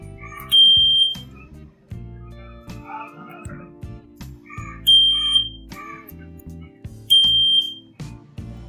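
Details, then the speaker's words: Plug-and-play key/indicator tuner buzzer relay fitted to a Royal Enfield, no wire cutting; three short high-pitched beeps with a tinkly tune right after the ignition key is switched on, add-on buzzer working as intended, ignition-on beep. "Ignition की on करने के बाद यह सांड करता है"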